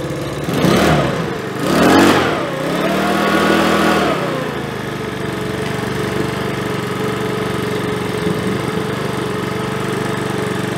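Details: Makita BHX2500 four-stroke leaf blower after about 12 months in storage, serviced with cleaned filters and fuel lines blown out, choke partly off: two quick blips then a smooth, steady idle; normal running and revving.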